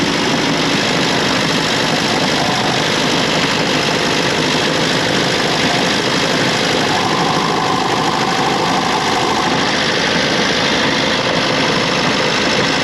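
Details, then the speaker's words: Austin 7 engine, recently fitted with multi-spark ignition and new Champion plugs, idles with a dull, steady low rumble from the bottom end. It was heard through a rod held to the microphone; big ends or bearings are suspected. "it is a definite rumble bottom of the engine, so we've definitely got big ends or bearings or something's not quite right down there."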